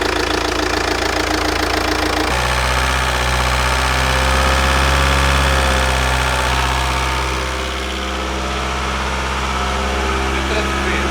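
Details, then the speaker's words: Faulty VW Passat diesel with no error codes, idling while warming to 80 °C for an oil pressure check: even diesel clatter of about four beats a second, smooth and steady with no knock or misfire; a healthy idle. "Pare tot în regulă, o lăsăm să ajungă la 80 de grade să vedem presiunea de ulei și stabilim după dacă e ok sau nu."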